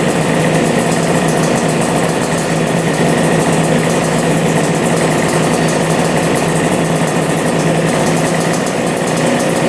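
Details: Two-stroke twin idling fast, buzzy and even on both carburetors after clogged filters were suspected of starving the right carb; both pipes hot, both cylinders firing, owner thinks main jets may be too big; normal idle.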